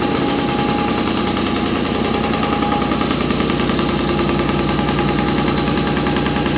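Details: 1983 Honda QR50, unrestored 49cc oil-injected single-cylinder two-stroke, after fuel flow restored: firing and holding a ragged, popping idle on full choke; running again.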